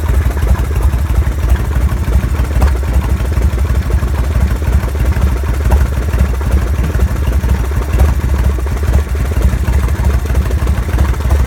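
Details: Mitsubishi Lancer Evolution engine at idle: heavy rough idle with irregular clattering knock under the exhaust drone; engine found badly damaged when opened; internal engine damage noise.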